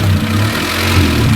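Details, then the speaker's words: 1995 Honda Civic 1.5L petrol idling unevenly after running fine at first start, drone wavering up and down; suspected loosened FITV (fast idle thermal valve) diaphragm and air in coolant: hunting idle. "So it seems to run fine right when it first starts up. Right. But give it a moment and then the problem becomes immediately evident."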